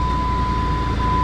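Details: 2003/2004 Jeep Grand Cherokee 4.0 after replacing a blown PCM battery fuse that caused crank-no-start: even, steady low idle rumble with no misses or knocks; runs smoothly.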